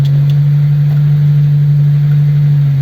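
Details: Old Ford 100E petrol engine idling after its stuck clutch plate was freed, clutch now slightly high: steady, even low drone, no knocks or misses; healthy idle.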